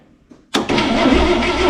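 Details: 1978 IH Scout II barn find: a brief click with nothing, then the engine suddenly cranks over and catches with a steady busy run; intermittent no-crank that appears repeatable, cause not yet known.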